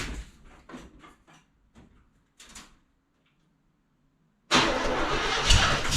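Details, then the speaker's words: 1974 International pickup engine first start after exhaust rework for differential clearance with new glasspack mufflers: after clunks and a pause it catches into a loud, raspy, even rumble; doesn't sound horrible, better than it was. "well doesn't sound horrible better than it was"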